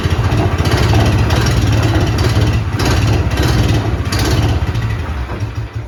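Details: Vintage Allis Chalmers Terra Tiger with a Honda-clone single-cylinder engine and newly built exhaust, run indoors in freezing weather: chugs steadily at a fast, even idle with no knocks or misses; healthy running.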